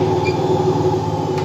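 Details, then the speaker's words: Bosch Avantixx 8 kg washing machine with its drum spinning: a steady low roaring drone and hollow hum like a plane taking off, pointing to failed drum bearings rather than shock absorbers despite reported bouncing. "اب یہ واضح ہے کہ بیئرنگ میں ناکامی ہے، جھٹکا جاذب کے ساتھ کوئی مسئلہ نہیں ہے۔"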